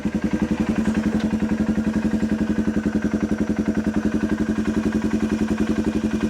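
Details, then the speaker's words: Lifted 2016 Polaris Sportsman 570, first start of freshly rebuilt engine: even, strong thumping beat, about four pulses a second, with light clatter; engine sounds good, though the unrebuilt clutch is a little noisy. "but she's running that engine sounds good the clutch is a little noisy"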